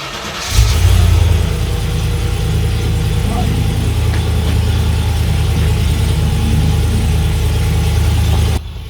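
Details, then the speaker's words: Land Rover Discovery 2 after mid and rear exhaust section replacement: quick crank and catch, then steady deep even idle on choke, no rattles from the new exhaust. "Bear in mind it's on choke at the moment. No rattles. This sounds rather good."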